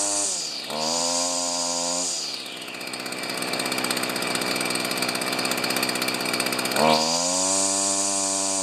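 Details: Stihl FS45 two-stroke string trimmer, bought used and repaired after not running, started with one pull on choke then off choke: buzzes at a steady high idle, blips up to a screaming rev, then settles back cleanly; running healthy.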